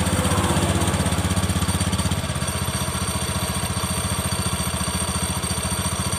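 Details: Honda Beat FI scooter after repair of a clattering CVT final drive (gardan): steady, even low thrum with no knocking from the drive side; normal CVT and final drive running.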